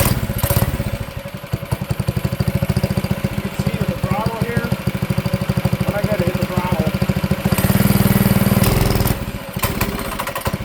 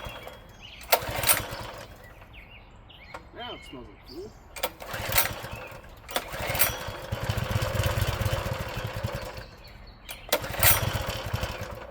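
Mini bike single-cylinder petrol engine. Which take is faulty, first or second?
first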